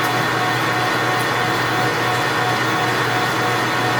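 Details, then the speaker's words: Precision Matthews 1640 lathe turning 7-inch cold rolled steel toward 6.5 inches, 20 thou cut with carbide insert: even steady cutting hum with faint constant tone, no chatter or knocks; sounds good, decent chips, a little heat. "That's very nice. Everything sounds good, feels good, looks good. Chips are decent, making a little bit of heat."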